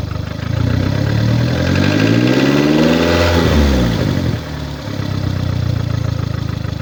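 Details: 2009 VW Golf MK6, 1.4 L (1390 cm³) petrol CAXA engine, 90 kW/122 PS, 272,900 km; idling with an uneven puffing tick near four per second that swells on a brief rev, caused by a defective head gasket.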